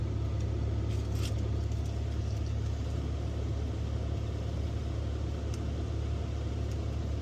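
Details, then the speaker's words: EV after DC/DC converter replacement and coolant purge in service mode, PTC cabin blower check: steady even low hum and rush, no surging, rattles or scraping; blower now blowing, not before, normal. "It wasn't blowing out before. It's heating up now. Oh, it's getting cool. That's good."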